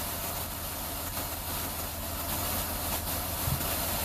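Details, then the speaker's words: 2004/2005 Ford Escape V6 at idle with code P0355 (ignition coil E primary circuit): steady idle with an intermittent dull puff and stumble, like a misfire backfiring through the intake, engine shaking; Mode 6 misfire counts all zero; suspected bad ECM coil driver. "it sounds like it's almost like misfiring, backfiring through the intake. And when it does that, you can see the engine shake a little bit."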